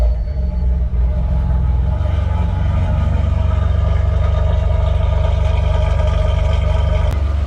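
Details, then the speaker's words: Alfa Romeo 147 GTA V6 first runs after engine install, revved no higher than 3500 rpm; deep even rumble with smooth regular beat and light valvetrain tick, running sweetly and healthy. "Bon alors, pour info, j'ai pas été au-delà de 3500 tours. Ça chante."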